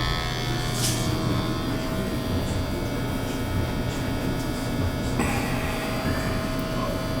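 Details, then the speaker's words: Natural gas boiler serviced for high carbon monoxide, burners cleaned, test firing: steady low hum with constant tone, no rumble or flutter; burner firing smoothly, CO PPM coming down. "Probably just needed the burners cleaned. I mean, there wasn't a lot in there, some. But let's see, it's gonna be okay. PPMs are coming down."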